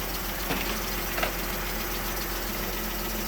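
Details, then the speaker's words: 2009 Dodge Journey after radiator replacement and crash repair, with coolant refilled and low oil topped off. A smooth, even idle with a steady hum; the earlier ticking has stopped. "I've got the coolant in here, and the engine's running, and it just stopped ticking, which is nice."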